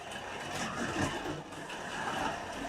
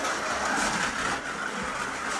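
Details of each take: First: Scalextric Ford Anglia 105e Broadspeed slot car after fixing its rattling interior, running on track: light, even whirr from the small motor with no rattle or buzz; changed from a cheap rattly toy sound to a smooth-running model. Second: Scalextric Ford Anglia 105e Broadspeed slot car, magnet removed, otherwise unmodified, first run: loud rough rattling over a thin motor whine; hard, out-of-round tyres chatter on the track as wheels try to spin up.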